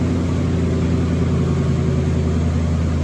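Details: Cadillac Seville Elegante, started after refueling before its first drive in a long restoration: smooth even low rumble with steady beat and no knocks, ticks or squeals; normal idle.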